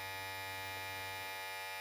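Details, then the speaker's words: Opove X Prime rechargeable hair clipper, fully charged, running at about speed setting 50 (owner guesses 5000 rpm). A steady, high-pitched, even buzz with no rattle or catching; normal, smooth motor running. "so it's at 50 i i guess 5000 rpm 60 70 and i i was using 50."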